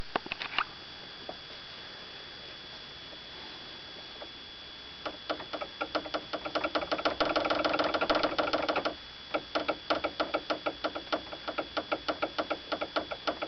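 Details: Toyota Avensis T25: light, sharp metallic ticks in uneven bursts, about three a second, mistaken for a suspension knock; factory defect, unsecured brake line with missing rubber grommet tapping the body.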